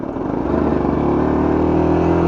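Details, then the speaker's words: 1963 KTM Ponny 2 two-stroke scooter, idle set very low, running: engine buzzes and climbs steadily in one low gear, shaking; rider cannot get second gear to engage. "Le plus dur c'est de passer la seconde. Ah, j'arrive pas à passer la seconde."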